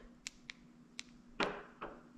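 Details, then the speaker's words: 2015 Dodge Charger Pursuit, key fob pressed twice for trunk: light sharp clicks at the latch, no release; the trunk actuator has gone from intermittent to never opening, and a replacement Dorman 931-270 has been bought. "And you can hear it click, but it never opens the trunk. It used to every once in a while open. Well, it used to all the time."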